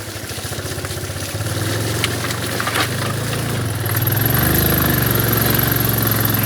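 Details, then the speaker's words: Yamaha single-cylinder motorcycle crossing mud holes on the BR-319: the thump quickens and strains as thick mud holds the engine back; it is labouring hard, with no clear fault. "se eu não for motor ali o barro segurando o motor i e é a Júlia tá sofrendo"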